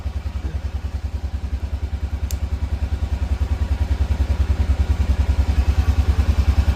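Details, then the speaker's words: Freshly rebuilt Honda Rincon 650 ATV, cold-blooded engine warming up in freezing rain, throttle held up; even, steady single-cylinder thumping building cleanly, healthy; carb still needs fresh gas and cleaning. "She's cold blooded though. She doesn't like starting up when it's cold. We got to sit there and kind of rev it up until it warms up a bit."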